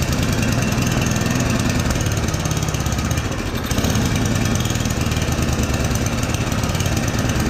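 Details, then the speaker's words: Yard Machines 8hp two-stage snowblower that had gone years without service and has low compression of about 45 psi: the engine hunts, its speed sagging then recovering; the mechanic says the carburetor idle circuit is most likely clogged. "okay so if you hear the rpms they're hunting that means that the carb is clogged the idle circuit most likely is clogged"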